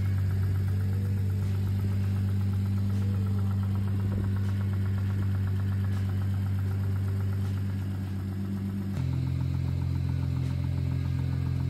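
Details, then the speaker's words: Car with a knock that started a week ago and worsens with driving, owner asks if it is rod knock: steady idle with a firm, regular knock about four per second over the low engine drone; engine knock, cause unconfirmed. "Customer states, is this rod knock? It started up last week and has been getting worse and worse the more I drive it."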